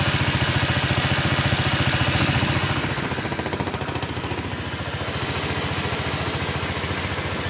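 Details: Honda Vario 125 scooter after head and block engine rebuild, warm idle; even quick putter, smooth with no knocking, misfires or smoke; coolant level holding, thermostat checked good.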